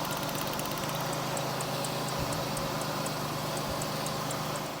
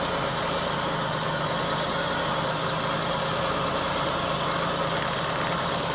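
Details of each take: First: Steady, even idle hum with no stumble or skipped beats on a GM 3800 V6 (Pontiac) after P0300 misfire fix; all cylinders confirmed sparking and firing cleanly. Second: GM Pontiac 3800 V6 with P0300 code, new plugs and wires, idling with a faintly uneven beat and sharp ticking; misfire traced to an ignition coil giving no spark.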